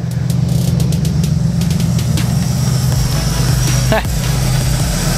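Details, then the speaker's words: Mazda RX7 with 302 V8 after carb-to-FiTech EFI swap and Walbro 255lph pump, first startup idle about 900 rpm, MAP 35, vacuum 18, coolant 82 climbing, AFR 13.5, trim 21%: deep, steady burble, no misses; sounds good. "and the AFR trim percent is 21 dang that's crazy I mean it sounds pretty good"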